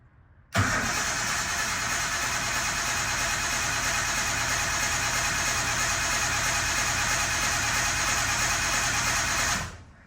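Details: Engine cranked after refitting the old oil pump with new lines and adapters: about nine seconds of steady, even cranking with no catch while the oil pressure gauge rises; two loose oil fittings had explained the missing reading.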